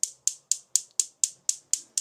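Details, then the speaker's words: Gas cooktop burner with natural gas on, others lighting: sharp, even igniter clicks about four a second with no gas hiss, burner fails to light; clogged burner injector, cleared with a needle. "Sadece tık tık tık çakmak çakıyor ama tısıltı yok. Ya doğalgazınız kapalı ya da şu üçü yanıyor."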